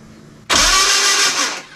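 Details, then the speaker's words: Renault 11 Turbo with a newly bought lighter, smaller starter: about one second of high whirring with no cranking rhythm, starter not engaging the flywheel; ignition present, owner declares the cheap starter dead. "Bon bah, le démarreur c'est mort. Bon. suis content. Bah oui. Je suis content. Mais ouais, le démarreur, c'est une merde."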